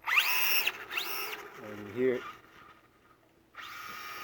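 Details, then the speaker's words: Traxxas Slash 4x4 VXL after a center driveshaft bearing replacement, slipper clutch set one turn out as a starting point: bursts of high-pitched, drill-like whine rising and falling with throttle as the slipper clutch slips. "when you run it you'll hear a slipping high-pitched whining sound that's your slipper clutch slipping"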